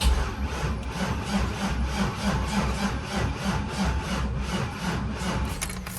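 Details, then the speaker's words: Cadillac CTS-V with LS3, custom 13:1 compression E85 build, first crank after rebuild, fuel pump working but no fuel in system: sluggish labored slow cranking without firing; flat battery, jump box needed. "battery for sure, but it's cranking. Yeah, baby. We're gonna have to put the jump box on it before we fire this thing up"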